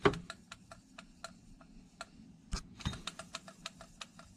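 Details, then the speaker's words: Replacement electric motor for a vintage Sioux valve grinder, unpowered on the bench: light, irregular clicks, a few per second, as its pulley is turned by hand, described as how it's supposed to sound. "clicking. Listen to this bad boy. That's how it's supposed to sound."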